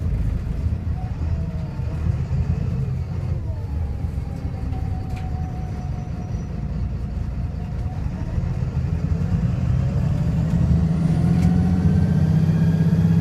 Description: This is an Arriva North West VDL SB200, which is misfiring and sounding very unhealthy haha! :D